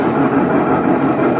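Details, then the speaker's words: Sharp top-loading washing machine that had hummed without spinning, after repair: steady even rumble as drum spins, no grinding or knocking; runs normally. A rough noise would indicate a failed gearbox, which must be replaced. "Ya sudah berputar semua ya."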